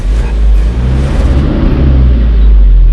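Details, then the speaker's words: Nissan D21 flatbed truck, sat 5 years, first run with old fuel not drained: low, heavy note that surges and sags, revving down and up instead of holding steady; uneven revving, suspected from leftover bad gas. "but it's i mean it's running surging pretty good it'll rev down rev up so it's just that little bit of bad gas that's still in there got to let it run through"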